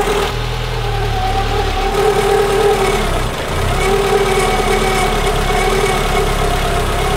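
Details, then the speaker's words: Peugeot 205 petrol engine idling with slight fluctuations and a constant, slightly wavering belt-type whine; soapy water on the alternator belt changed nothing, so the source is unconfirmed. "on entend tout le temps le bruit de courroie"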